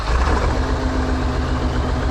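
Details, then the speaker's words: New Holland TS115A diesel tractor after setting injection timing: a little rough at the start but fires right up and settles into a steady, even idle with no misfire or knock, not smoking; an unidentified ticking is also present. Timing considered fixed. "A little rough at the start, but fires right up. Doesn't sound bad. Not smoking."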